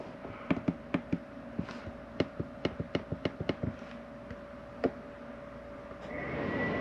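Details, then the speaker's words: 2022 Jayco Whitehawk 27RB travel trailer furnace started from the control panel: irregular igniter ticks, then a steady rush as the burner lights and blower spins up; normal start. "your furnace kicking on now you notice when i come down here and shut everything off"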